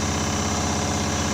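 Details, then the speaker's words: IFB washing machine running with loud steady buzzing rattle, sometimes very loud, because the front panel board mounting is broken; panel rattle from broken mounting. "जिसमें हम बोर्ड लगाते हैं front panel का, वो टूट चुका है, इसलिए ऐसा आवाज़ आ रहा है।"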